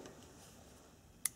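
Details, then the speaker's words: Vehicle starter relay removed and bench-tested by energizing its coil; single sharp click in a quiet room shows the relay switches, though a click alone is not conclusive; normal relay click. "and there you go you hear that that is a very good sign that this is working but it's not foolproof"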